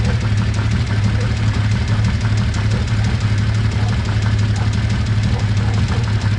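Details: Kawasaki Z1300 troubleshooting: even idle with a light, fairly regular tick of about three per second riding over it; top-end ticking, cause not yet found.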